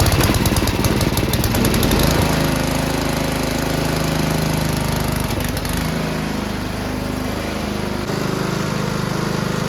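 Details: Salvage-yard Ariens snowblower, sitting for years, fresh recreational fuel, choke on, full RPM, primed twice: small single fires and holds a fast, steady chatter at full throttle, even apart from slight dips; normal running.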